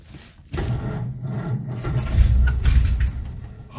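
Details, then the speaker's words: Old Nash flathead six with 6-volt positive-earth system, long stored, cranking slowly with foot to the floor: uneven rasping cranking swells into a brief surge as it tries to catch, then falls back without starting. "she tried to catch did you hear that I think that's all we're going to get"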